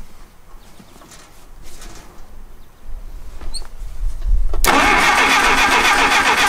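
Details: 1959 Case 300B (311B) tractor, 4-cylinder gas engine, parked outside 10 years, cranking in neutral with choke on and throttle open a quarter inch: quiet then loud even cranking, a few beats a second, never fires; no impulse from distributor.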